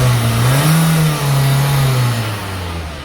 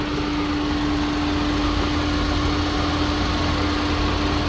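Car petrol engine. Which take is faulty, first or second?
second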